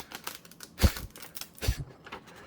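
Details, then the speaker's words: Restored Toshiba BW-3112 Japanese kanji typewriter: heavy strikes with dry paper crackling because the backing and front sheets bond from the hard slug presses; softer platen might improve impression. "Like, already, you can hear that sound of crackling in the page. That's because the backing sheet and the front sheet are somewhat bonded"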